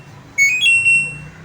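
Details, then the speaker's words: LG front-load washing machine, start/pause button fault; switch, diode, LED and PCB traces checked OK: with a function selected, pressing and holding start gives short high beeps but the cycle never starts, only occasionally registering. "അപ്പോൾ കണ്ടോ, പക്ഷെ നമ്മൾ press ചെയ്ത് കഴിഞ്ഞാൽ ഒന്നും work ചെയ്യത്തില്ല."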